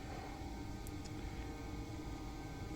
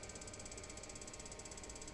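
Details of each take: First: Gas boiler with a Thermowatt ignition/controller board (Ariston/IMIT type), after replacing the broken ION-sensor amplifier transistor: soft steady roar with a faint hum and no repeated spark clicks. The flame lights and holds normally. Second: Gas boiler/heater with Thermowatt controller board: igniter spark keeps ticking steadily with no flame sensed, shuts off after about five seconds; broken transistor amplifying the ionisation flame-sensor signal, replaced to fix.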